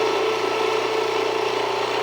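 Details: Jiffy Precision Mill, US-made electric steel burr grain grinder, grinding grain at a slightly backed-off setting; steady even whirring grind with constant tone, no knocks or catches; mill warm but not hot to the touch after; normal grinding.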